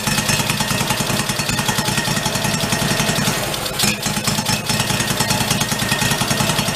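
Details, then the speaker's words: 1991 Craftsman GT garden tractor single-cylinder, running on fuel from the tank after priming: even, steady idle with a clean, regular beat and no misses or knocks; normal idle. "i got it i think we're running off the card yeah it's like a fuel through now"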